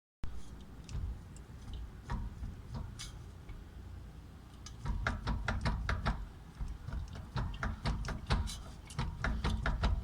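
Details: 1993 BMW E36 325i, manual, non-LSD 3.15 diff, 170,000 miles: uneven light clacks and rattles over a low engine rumble, in neutral and in drive, clutch in or out. Center bearing and guibo were already replaced; driveshaft, U-joints or differential suspected.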